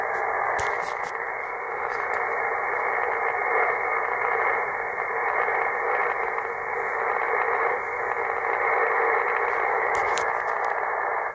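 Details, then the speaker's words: Motorized remote wire antenna coupler set for 80 meters, roller inductor positioned near 3.2 V, peaking the variable capacitor (bread slicer) for receiver noise; steady hiss rising to a full even peak with no tones, coupler tuned onto the band. "And then what I would do, I would peak the variable capacitor, the bread slicer, for noise. And you can hear it,"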